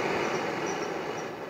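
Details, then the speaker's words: Propane forge gas burner lit at the end of the burner with enough pressure. Steady, even rushing roar with no sputter, popping or flutter. The burner burns cleanly and operates correctly. "so again we need to light with enough pressure and at the end of the burner and it operates correctly"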